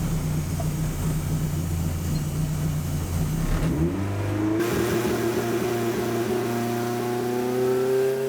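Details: K20 turbo Ford Escort loaded with launch control after tightening a boost pipe/V-band joint that had caused a buzzing boost leak: revs climb smoothly with a clean rising tone and no buzz or hiss. Boost now holding.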